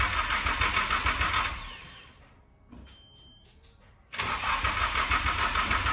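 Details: Lexus SC300 with open headers cranking: quick even beats, about three a second, pauses and cranks again but never fires; fuel pump not priming because the harness was left disconnected.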